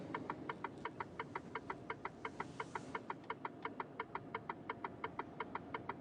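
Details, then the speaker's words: Class 2 HGV truck cab: indicator hyper-flashing with quick, even rapid ticking at about 170 a minute over a soft cab hum. "well and Cat noise is getting annoying the rapid ticking can hear that and it's cause issues"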